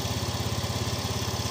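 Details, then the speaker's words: Fuel-injected Yamaha Fino 125 scooter with a slightly high idle: under light throttle it gives a lumpy, pulsing stutter with uneven firing. It barely pulls off the line and feels very heavy at 40–60 km/h. The cause is a wrong, over-delivering fuel injector. "Nah ini ya, tuh, seperti berbet gimana ya. Saat parah-parahnya ini ketika kita gas awal nih, motor ini sampai nggak bisa jalan, apalagi RPM menengah ke atas."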